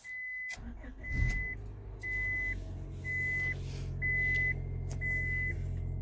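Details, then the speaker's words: 2000 Honda Accord after a clogged catalytic converter was removed and the O2 sensor reinstalled: the engine catches and settles into a smooth, quiet idle with no exhaust leaks or ticking under a chime; normal idle. "yeah sounds just like it should nice and quiet"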